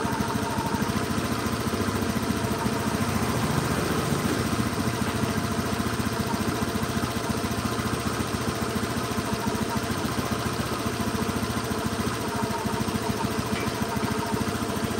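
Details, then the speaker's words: Honda Beat injected scooter during TPS check and throttle body cleaning, not yet warm: wet uneven "brebet" sputtering idle. Injector over-fuelling gives a rich mixture; idle should be around 2000 rpm. "masih basah suaranya masih basah. Sah ini. Jadi suaranya brebet brebet brebet brebet brebet aslinya ini."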